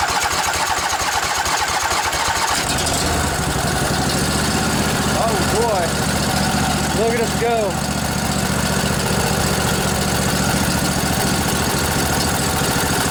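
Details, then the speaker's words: Junkyard Briggs & Stratton Intek twin-cylinder 20-25 hp riding mower engine, long sat outdoors, started on weak battery: catches after seconds of cranking, settles to steady even idle without misses or knocks, little smoky; normal idle. "A little bit smoky. Hasn't been running a while."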